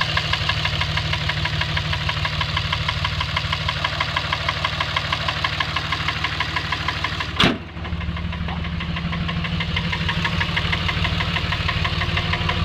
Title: Dodge ram engine knock